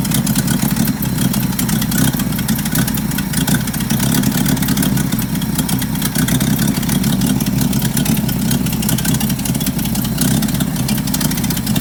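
Loud, raspy puffing at steady idle with a hard chuffing edge that stays constant throughout; sounds like a leaking exhaust.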